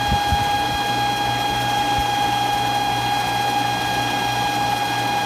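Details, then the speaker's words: Century Centurion pool pump motor running with a steady, piercing high-pitched squeal over its hum; the squeal persists even after water fills the pump housing; cause unknown to the owner. "so I'm going to turn it on so you can hear the squealing but it stays on it will not go away"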